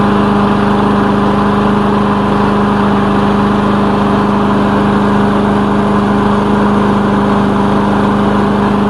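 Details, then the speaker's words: Lawn mower engine's final run after repair with new air filter fitted, before return to owner; smooth even idle, steady hum, no misses or knocks; running great, normal idle. "so that's running great here you shouldn't have any more problems with this airplane"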